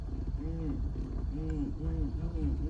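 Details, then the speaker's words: Ford Crown Victoria, quiet cabin: repeating squeaky creak about twice a second as the steering wheel turns; owner suspects a worn steering column bearing. "another thing that I have noticed while I've been driving the car is the steering column has been making a little bit of noise whenever you turn it and on bumps and stuff"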